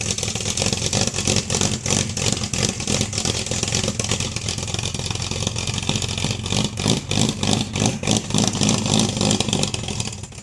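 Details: 1971 Dodge Dart 318 with a hard-start problem, after the choke was set correctly: runs steadily and picks up cleanly on each throttle blip, no stumbling or misfire; normal running and revving.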